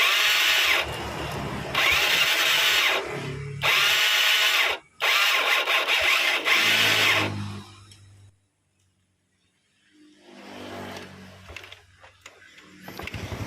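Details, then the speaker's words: Yamaha Mio scooter, electric starter: repeated high-pitched whirring bursts of about a second each with no cranking thump; the starter dynamo does not turn the crankshaft. Likely causes are a faulty one-way starter clutch or the dynamo spinning in reverse. "This actually creates another problem, yes, the starter dynamo doesn't rotate the crankshaft or the rotation of the dynamo doesn't reach the axle or los."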